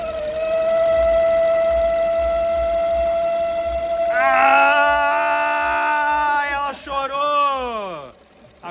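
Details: BMW 320i at idle: steady high whistle/screaming over the idle that swoops and changes pitch when the air intake is blocked; crankcase vacuum leak whistle, to be located under the car.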